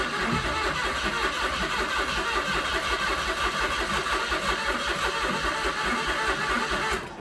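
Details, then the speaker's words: Car after gear selector change: neutral on dash but it won't start, starter chugs steadily about seven seconds with no firing; owner plans to plug in for codes, recalls a similar car taking ages to fire after sitting. "We've got neutral on the dash, but it won't start at the minute, it's just turning over."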